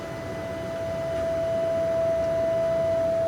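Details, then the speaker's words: Ironwood CUT24L 24-inch up-cut chop saw, built 2021, 15 hp, 230/480 V: a single steady tone holds level as the big blade coasts down, with no grinding or rubbing; normal blade spin-down. "That's the saw is slowing down. That's the sound you hear."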